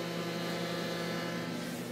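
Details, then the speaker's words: Headhunter Tank Sentry WTS-1500B holding tank sender after calibration and reset: its small air pump buzzes steadily for 30 seconds with no change in pitch or stutter while taking a reading, normal operation. "now we hear the sender is buzzing it's got a little air pump the air pump runs for 30 seconds and then it'll get its reading back"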